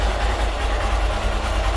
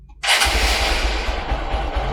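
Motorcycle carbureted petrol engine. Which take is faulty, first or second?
second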